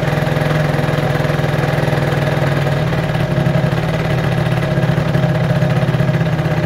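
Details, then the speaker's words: Peugeot Jetforce scooter two-stroke, warmed up: fast steady idle drops to a slower beat as the carburetor idle screw is backed out from fully in; the further it is unscrewed, the lower the idle until it stalls. "je weiter ist der rausch schraubt das du langsam geringe wird die drehzahl bisher komplett ausgeht"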